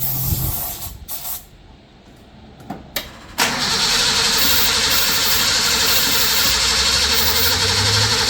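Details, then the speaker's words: 1983 Nissan Patrol petrol engine, barn find stored for years: steady fast starter cranking with no firing after spraying fuel in, as no fuel showed in the carburettor bowl. Cranks but won't start; suspected spark issue. "we might have a bit of a spark issue somewhere."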